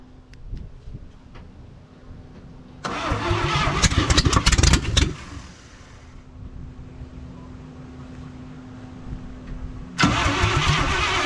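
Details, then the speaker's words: 1968 International 1100C truck with engine from a 1976 Scout II, not run in years, battery terminal tightened, heavy ether dose: slow rhythmic cranking catches for a couple of seconds in a rough burst then dies; fires only briefly on starting fluid. "let's say she's going to fire and she just did so spray some more ether in her"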